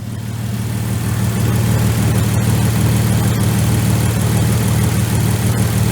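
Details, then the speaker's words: Jeep TJ after sitting 15 years, warming up until thermostat opens: smooth, even low idle with a faint light tick; normal idle. "Sounds pretty good to me. There's a slight tick, but I remember other one sounded like that, too."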